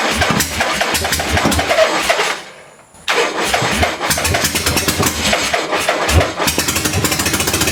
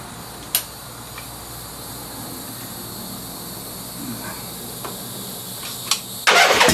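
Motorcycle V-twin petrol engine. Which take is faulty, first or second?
first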